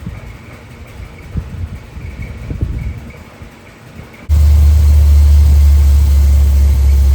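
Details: Rebuilt 1972 Corvette C3 small-block V8, first start after rebuild: catches and settles into a heavy, low, lumpy idle pulsing about three times a second; ignition timing off, distributor must be moved a tooth.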